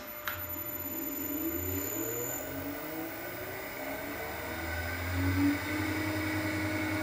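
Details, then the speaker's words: Harrison 140 lathe motor run with belts off and enlarged double-size pulley on shaft, checking for pulley imbalance: steady, even electric hum with soft whir, no wobble or knocking; no vibration felt, imbalance was imagined. "feel for vibration nothing so as they say in these parts that's good enough so all it's done is to prove that it was just a figment of my lock down imagination"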